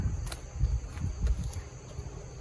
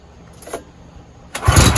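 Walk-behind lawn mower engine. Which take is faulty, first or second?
first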